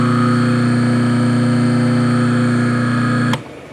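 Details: Quarter-horsepower three-phase motor run on single phase with a run capacitor across phases; loud, steady buzzing hum that stops abruptly at switch-off; runs rough, maybe too much capacitance, suspected not confirmed.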